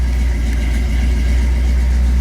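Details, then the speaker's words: 1966 Chevy with a carbureted engine, after the wiring harness melted: cold fast idle on the choke after 4 gas pumps, a steady, even low rumble with no misses or knocks. Healthy. "Choke's working. Had to give it 4 pumps. Needs cold temperatures."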